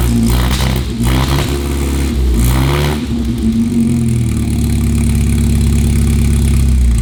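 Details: 1955 Austin Healey with H4 SU carburettors, before the carbs are stripped: uneven, stumbling revs that hesitate and spit back under heavy throttle, then a lumpy idle. The engine is badly out of tune, either too lean or the timing is off.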